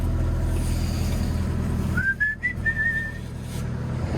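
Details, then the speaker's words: Hydraulic pump just resealed and refitted, machine bled and started with RPM turned down; steady low diesel drone at low revs with no whine, knock or grinding from the pump, hydraulics healthy. "I'm pleased to hear no nasty noises. All is good."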